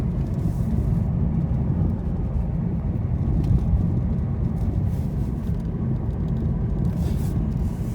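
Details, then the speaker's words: 2018 Lada Vesta Cross cabin driving rough road after dashboard panel taped with one-sided tape to cure squeak, knock and vibration: steady low road rumble, no squeaks or rattles; dash now quiet. "ну короче до звуков нету больше"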